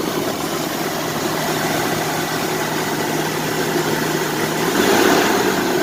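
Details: 1999 Toyota 4Runner 3.4L V6 idling after replacing shredded power steering, A/C and alternator belts; steady even idle with smooth low hum and no squeal or chirp, belts running smooth, engine normal.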